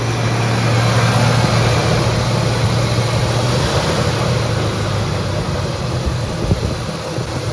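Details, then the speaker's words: Chevrolet C10 small-block with Holley Sniper fuel injection, idle around 1,700 rpm while rolling down driveway as if on cruise control, slightly lower than before. Fast steady idle well above normal, sagging slightly; high idle attributed to vacuum leaks and throttle plate adjustment. "I'm flying down a driveway so this isn't good 1,700 yep 1700 RPMs a little less than it was before"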